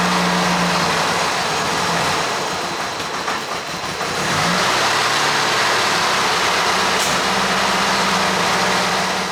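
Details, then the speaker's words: Ford 2.3L four-cylinder (84 SVO Mustang setup) after timing belt and distributor install, running with ignition deliberately set too far retarded; distributor rotated to reach 10° base timing. Dull, lazy, slightly uneven idle whose pitch shifts as timing is corrected. "I purposely have the ignition timing set too low, so I'm going to rotate the distributor while it's running."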